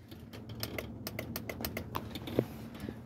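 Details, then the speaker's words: Sharp, quick clicks in a rapid, uneven string in a quiet cab: the power window relay is chattering while the broken window motor is unplugged. "and then there's this one you're gonna hear the relay over there clicking"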